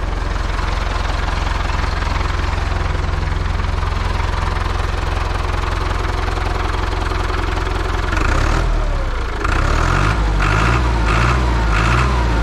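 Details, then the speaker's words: Old IHC 844 diesel tractor idling on a freezing day around 0 °C, after exhaust pipes were swapped from a 633: a steady, even chug with no knocks or misses, then a brief speed change. Runs like clockwork. Normal idle. "er läuft wie ein Uhrwerk"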